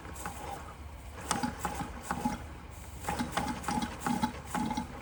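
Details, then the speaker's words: Bing 10/110 poppet-valve model steam engine during restoration, warming up; irregular soft bubbling and ticking pops about two a second over a faint hiss, as condensation gurgles through the chimney before the engine will run. "Hear the condensation in the chimney. Once that condensation's gone, this will run."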